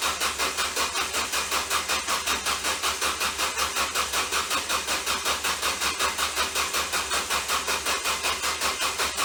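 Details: Ford Focus: fast, even cranking chatter about 160 per minute with harsh buzzing edge and no catch; bad starter shorted internally from burning up.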